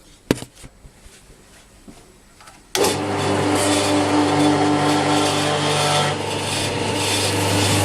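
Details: Workshop pump switched on in a quiet shop near a CamVac CGV286 twin-motor dust extractor, before a noise reading: takes a few seconds to spool up, then a steady, even hum with a smooth watery rush, running normally.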